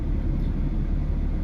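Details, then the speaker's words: 2005 Ford Mustang 4.0 V6 after water pump replacement, warming up slowly with radiator cap off to purge air bubbles, no leaks seen; steady, even low rumble with no knocks, ticks or squeals, smooth normal idle. "So I am going to let this thing warm up. I'm letting it just slowly warm up."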